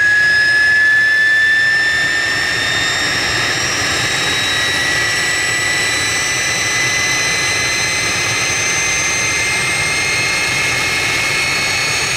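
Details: Jet truck turbine, first start after winter, fuel pump worked on and clogged fuel filter cleaned: loud steady roar with high even whine, no surging or sputter; runs better than ever, normal turbine run.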